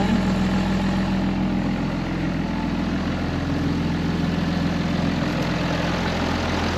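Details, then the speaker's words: 2005 Ram 2500 diesel idling after FASS lift pump and fuel line replacement, no leaks; steady low even clatter, no misses or knocks, running pretty even: healthy idle. "just going to let this run for a little bit see if I can clear up the engine some sounds good running pretty even"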